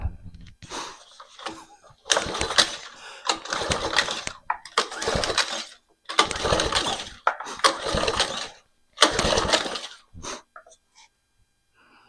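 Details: Craftsman lawn edger/trencher unused about 5 years, spark confirmed, spark plug out for compression test reading about 75; rope pulls roughly every second, rough rasping whirr as engine turns freely without firing; owner suspects fuel leaking past carburetor needle and seat; normal cranking.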